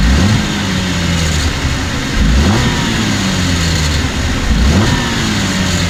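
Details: 2014 Cadillac CTS V-Sport turbo with 61,000 miles, revved in neutral in a driveway; brief, tinny metallic rattle from the turbo area every time the throttle closes, also heard coming off boost; dealer said nothing is wrong.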